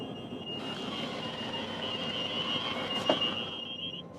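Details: Newell Coach motorhome, front driver slide retracting: even motor drone with high constant tone holding steady before cutting off; slide pulling in smoothly and normally.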